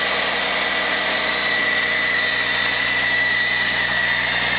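Heavy diesel ticking over at a steady, even idle with a constant tone and no knocks or misses, running healthy.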